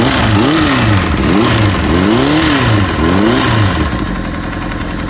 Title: Honda Cbr 600rr pc37 Strange Noise cam chain new here oil pressure is good also new pistons ring